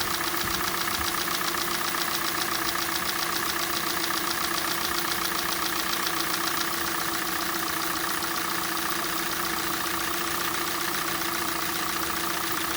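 Sharp, even tapping at about four per second over a steady idle, with no gaps; a cold-engine knock whose cause is not yet known.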